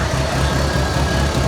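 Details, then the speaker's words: 1985 Merkur XR4Ti turbo, warm and running: steady idle with a soft, quick puffing tick in time with the firing pulses; an exhaust leak, exact location not found, possibly near the hot turbo. "it does have a bit of an exhaust leak sounds like it might be coming from I don't know if that's just a hot oh that that turbo is hot right now"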